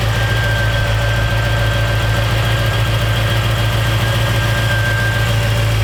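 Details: 1956 Chevrolet Bel Air Nomad resto-mod with fuel-injected 350 V8 and 700R4: steady, even low rumble with a smooth, unbroken beat and no knocks or misses. Healthy V8 idling cleanly.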